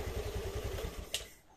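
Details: Small motorcycle engine fires on the electric starter and runs with a quick, even beat before settling. This is after repair: it had only clicked without cranking, and the starter's battery cable terminals were refitted and secured. Starts and runs normally.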